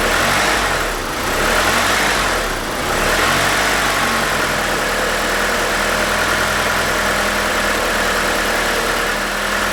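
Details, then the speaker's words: 1992 Mitsubishi Galant VR-4 while screwing in the idle bypass air screw with plugs grounded, surge being fixed; steady even idle with a faint hiss, no hunting or surge, a touch high, normal idle. "that sounds good already so a little high to adjust a little more oh I think we're getting there"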